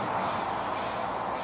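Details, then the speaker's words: Ford Focus rear wheel bearing, the good side, spun by hand with no play up and down or side to side: a soft, even whoosh with no grinding or rumble. Healthy wheel bearing, quiet when spun. "I know this is what this what one should sound like when I spin that this is the good one there's no play in this wheel or put down or side to side and when I spin it you can't hear anything"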